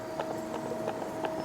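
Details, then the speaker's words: Toyota Vios NCP93, nearly 15 years old, makes an odd noise when pulling away from a start. With the car suspended and the steering rack rocked close to the mic, dull regular clunks show rack shaft free play knocking in its housing. "So kat sini kita boleh tengok ni untuk king ser ni kita goyangkan ni memang rasa kuat ni."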